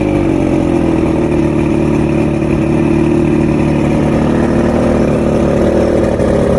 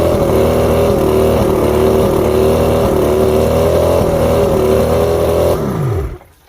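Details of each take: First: Outboard two-stroke after a three-week rebuild fixing rough idle, surges and misfires, new electronics: strong, steady drone holding an even pitch with no surging or stumbling; running cleanly. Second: Two-stroke outboard at idle with an uneven, stumbling beat before winding down and stopping; one cylinder missing on weak spark. Coil 4 voltage low while others read about 250; coil tested good, so the switch box (controlling even cylinders) is faulty.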